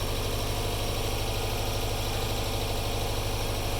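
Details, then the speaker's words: Subaru Legacy GT turbo idling after new turbo core, engine mounts, air pump delete and new downpipe gaskets: steady, even low rumble with no ticking or puffing, exhaust leak fixed. "no more exhaust leak let's uh let's take this for a drive"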